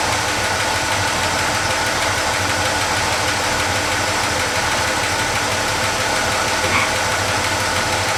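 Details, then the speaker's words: Chevy C10 pickup V8 idling after a full wiring harness replacement: light, quick top-end ticking from a couple of rocker arms needing adjustment (cylinder 5 or 6) plus a faint belt squeak. "you can hear the belts squeaking a little bit I gotta I know I've got a couple rocker arms that need to be adjusted"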